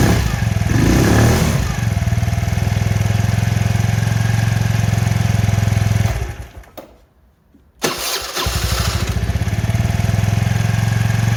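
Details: Kymco Agility Renouvo Naked 50cc four-stroke scooter after repair of broken variator, torn belt and oil change: small single fires, settles into an even low putter, briefly cuts out, then picks back up to a steady idle; healthy.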